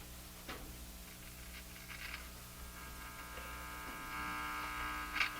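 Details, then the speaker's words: Japanese Zephyr Model 1 tube radio, found covered in kitchen grease and labeled as humming: a low, steady buzzing hum with a faint rasp persists after capacitor work; mains hum not yet cured. "Well, it hums still. I didn't have much success today with getting rid of that."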